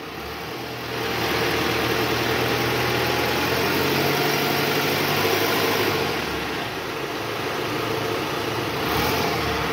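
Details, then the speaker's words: Toyota Harrier, AC on, in gear, after replacing the worn tensioner and loose balancer shaft: engine rises on throttle and holds a smooth even note, no rumble or knock; running normal again. "Oke Guys suara mesinnya sudah jauh lebih halus ya sekarang Coba kita dengar dari samping gas lagi Bang gas tahan"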